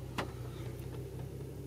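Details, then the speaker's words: 2004 Infiniti FX35 after idle air volume relearn via scanner fixed P0507 idle-too-high code (took a couple of tries): low, even idle hum at about 638–662 RPM, steady beat, no knocks or surges; normal settled idle. "now look at the idle idle is around 600 something yeah 662 RPM wow it's already fixed all right so top down can relearn your Idol problem your code uh P0 uh 507"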